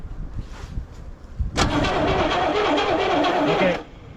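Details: 1970 Chevrolet El Camino, 396 V8, 4-speed, parked 38 years: two seconds of even starter cranking at about three turns a second, but it never catches. Cranks, no start; spark and compression are confirmed afterward.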